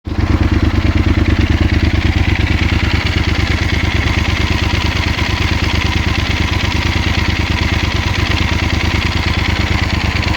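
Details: 2016 Yamaha Super Ténéré 1200 ZE at idle: steady idle with a rough, regular ticking pulse about three times a second over the engine beat; engine noise whose cause can't be pinned by ear.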